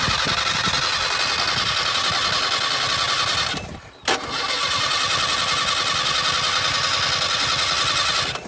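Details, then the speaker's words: 1978 Datsun 1500 Ute GN620, first start after 20 years parked, mechanical fuel pump possibly not drawing from the rear tank: cranks and fires, runs unevenly a few seconds, dies, catches again and sputters, acting fuel-starved. "Foot flat. Go again. wants to run."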